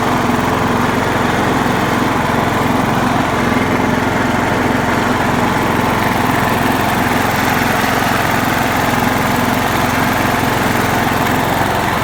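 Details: John Deere LX172 mower with the carb fuel solenoid hot-wired to the battery via jumper: a small single-cylinder engine runs at a steady, even pace with no misses or knocks.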